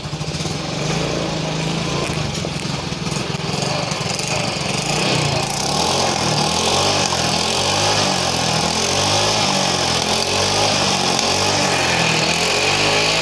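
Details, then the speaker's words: Yamaha Mio M3 scooter that smokes white, is sometimes hard to start in the morning and won't hold idle; compression tested very weak. Ragged, pulsing single-cylinder beat, dies when throttle released; likely worn or stuck piston rings or leaking valves. "motornya pun tidak bisa langsung pada saat gasnya dilepas motornya langsung mati karena kompresinya sangat lemah"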